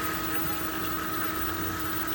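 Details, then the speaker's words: New pond pump running at up to 1800 RPM (2 amps at 1600), feeding a biofilter with water splashing through bio balls; smooth, even hum with steady mid tone, no knocks or surging; normal pond pump running. "I love this new pump. It's working fantastic. It goes all the way up to 1800 RPM, and I tested it."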